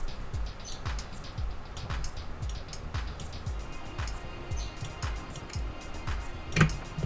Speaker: now it seems to be charging the capacitor and clicking the relay so that's excellent